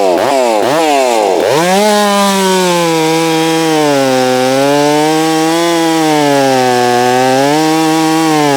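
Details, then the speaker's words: Holztfforma G660 chainsaw, cutting after top-end power loss, while still warming up; it revs up in a few blips, then holds a strong steady pitch that dips and recovers under load, and the owner says the low end still needs adjusting: normal cutting. "but she's definitely acting more normal now. So I'm pretty happy about that."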